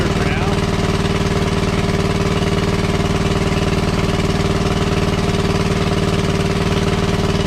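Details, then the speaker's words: WWII Chore Horse 300-watt battery charging set, model CH1 395-5, original 1940-41 paint, cleaned not refinished: steady, even single-cylinder thump at constant speed, no misses or knocks; engine runs well and works great. "Just slightly change the throttle adjustment. It's just a screw you turn in and out. Right on, it works great."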